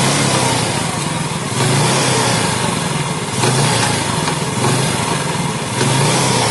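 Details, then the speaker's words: Yamaha Jupiter Z idling, with intermittent gear-shift trouble: rough, gravelly rattle over the idling single from the right side, coming and going in waves with a throaty hum; clutch housing rubber dampers probably worn or crumbled. "Untuk suara seperti ini sudah bisa dipastikan ini dari rumah kanvas kopling. Ini kemungkinan sudah aus atau karetnya hancur, atau bisa juga sudah oblak lumayan parah."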